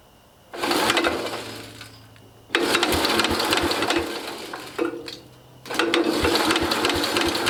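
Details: International Cub Cadet 109 garden tractor, Walbro carburetor just rebuilt with new kit: small engine catches and revs in loud bursts, sagging between them, then keeps running; alive but still rough, smoking.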